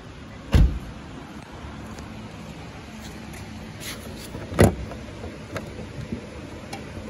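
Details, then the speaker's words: 2018 Nissan Altima, hood open at idle: a quiet, even hum with no misses or knocks and some handling clunks on top. The engine is running smoothly without issues or hesitation. "Now this vehicle comes with a detailed engine, however it is running smoothly without any issues or hesitations."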